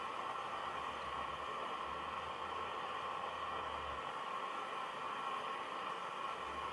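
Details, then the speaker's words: National Panasonic RQ-434DS boombox radio, steady hiss with station barely audible and tuning making no difference; very weak reception, a faulty mixer transistor suspected. "i can vaguely hear the station but they'll be getting very nothing out of it so it would have to be one of the mixer transistor"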